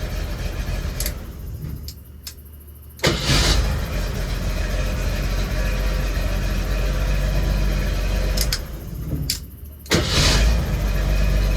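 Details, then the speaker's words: Jeep CJ7 starting on its original ignition switch after something that had come unplugged was found to be the no-start cause. A short crank, then it catches quickly into a steady idle, twice in a row; it starts cleanly and reliably. "Alright, also this thing runs awesome now. At least starts awesome."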